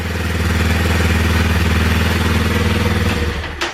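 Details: 2021 Kawasaki KLX 230 dual sport just fitted with a replacement battery after the old one kept dying: steady, even single-cylinder thump at low idle, about four beats a second, then shut off; healthy idle.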